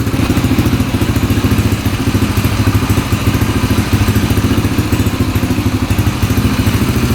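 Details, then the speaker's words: 2003 Yamaha TTR125 dirt bike idling after its knock was fixed: an even, steady single-cylinder putter with no knock or clatter. It may need break-in and the fuel screw backed out slightly. Normal idle. "nice and quiet engine that's really quiet so we got rid of that sound that's all fixed"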